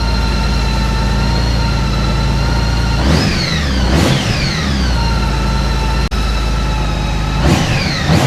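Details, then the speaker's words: Honda Goldwing 1800 after oil and filter change, oil level just over top mark; steady even idle from the six, smooth low rumble, brief blips, no knocks or ticks, smoother than before; normal idle. "There we go. I can hear the difference in that just with changing the oil. It sounds so much smoother."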